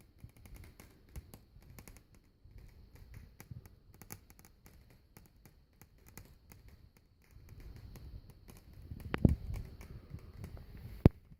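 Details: Vicol Shigaclone CD player clicking noise: irregular light ticks and taps, roughly one every two seconds, from inside the player; something in the disc mechanism clicks abnormally.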